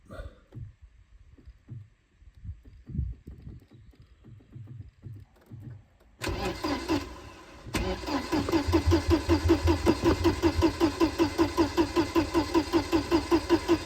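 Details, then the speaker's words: Mercedes-Benz 190E, first start attempt in about ten years, started by wires at the ignition lock: a few clicks then steady cranking about 2.5 beats per second, never catches; no fuel pump sound at key-on, fuel pump issue suspected. "Nope. So we have a fuel pump issue."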